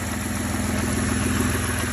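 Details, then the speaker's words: Car at idle after replacing power steering hose that had been sucking in air and foaming fluid: steady even hum with no whine or moaning from steering pump; nice and quiet, fixed. "She's nice and quiet now."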